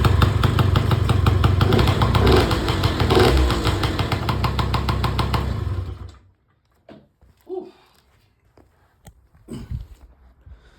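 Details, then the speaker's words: Peugeot Speedfight 2 100cc two-stroke scooter with Leo Vinci exhaust, first run after revival: steady, even buzzing idle about six seconds, no misses or hunting, some two-stroke smoke; normal idle. "So as you can see there now, idling absolutely beautifully. It is chucking out some smoke, so I think it probably just needs a good run for glass."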